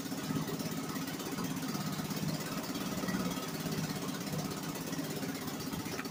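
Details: 1963 Gale-made Sea King 3hp single-cylinder outboard after a new water pump rotor; steady, fast, even pulse with no knocks or misses, pumping water well, running normally.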